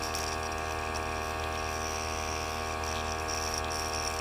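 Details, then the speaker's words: Master airbrush combo's small 18 PSI portable compressor just switched on, no spraying: steady motor hum with a light, fast, irregular rattle about twice a second; source of the rattle unknown. "The light turns green. I don't know what's making that rattling sound."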